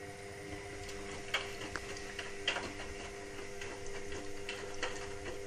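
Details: Indesit WIXL143 washing machine: irregular sharp clicks a few seconds apart over a faint hum, drum not spinning. It clicks for the first 2-5 seconds, then goes quiet, and never finishes its cycle. Stain removal, Easy iron and door lock lights flash. Fault unknown.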